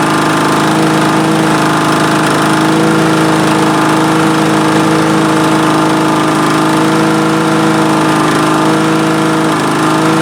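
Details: Vintage Honda Harmony II HRR216 mower, estimated mid-90s, unused for years; after carburetor removal and cleaning it started on the first pull with choke and no air filter. Steady even idle, constant drone, no misses or surging; running acceptably.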